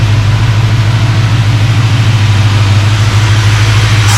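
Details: Project car on first fire-up after build, warm at 190°F with 190 thermostat, 60–65 psi oil pressure, low fuel, clutch not yet connected: deep, steady idle, smooth low rumble, no knocks, misses or ticks; healthy.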